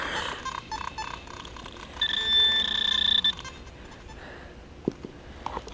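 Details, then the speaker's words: Metal detector with pinpointer switched on in the hole over a dime, after software update: high warbling chirps and stuttering beeps in quick bursts instead of a clean target tone; pinpointer chattering interference with the detector. "let me turn pinpointer back on can y'all hear that I never had chatter like that before all that noise that would make me next oh hell no"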